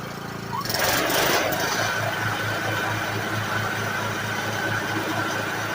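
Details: Kohler Courage single-cylinder 15-22 HP engine after a tune-up: new air filter, pre-cleaner, oil filter, fuel filter, spark plug and oil, carburetor cleaned. A quick crank, then it catches and settles into a steady, even thump with no misses; running properly.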